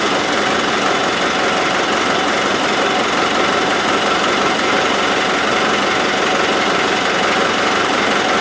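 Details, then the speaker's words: Land Rover 200Tdi diesel running: harsh raspy chuffing and hiss over the engine note, owner suspects exhaust leaking at the manifold joint. "Yeah, maybe it's leaking out of there."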